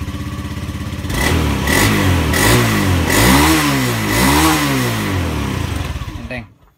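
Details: Honda Beat FI scooter with weak top-end power, engine judged fine, fault in CVT (worn rollers): starts cleanly, revs rise and fall smoothly twice, settles to even idle; normal engine revving.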